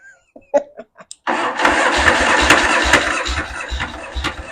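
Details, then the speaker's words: Yamaha XS650 chopper at first start after a new wiring harness and setting the points and ignition timing: a few spits, then the twin runs briefly, uneven and lumpy, with no steady idle; the timing is suspected to still be way off. "timing still got to be way off"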